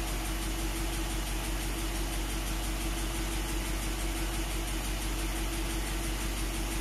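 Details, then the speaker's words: Rebuilt Willys truck, just after first cold start following 12 months idle, no check engine light; steady even idle, no misfire, stumble or ticking, no stuck injectors: normal idle. "oh so no stuck injectors or anything like that which is good"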